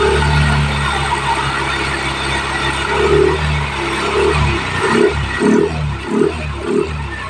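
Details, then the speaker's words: Yamaha Mio i 125 scooter after replacing bearing and drive axles, cleaning pulleys, new gear oil (had clunking rear): steady even hum with a few throttle blips, no whine, whistle or rattle from drive; smooth, healthy. "niya Okay mga kats smooth na smooth Ang ganda ng tunog walang ingay walang wisel"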